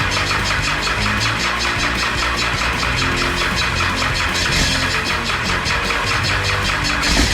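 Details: Cummins 6BT going into a Nissan GU Patrol, first start after priming the oil pump: catches and holds an even, steady clatter at idle, no misses, partly under music; runs fine, smoke show.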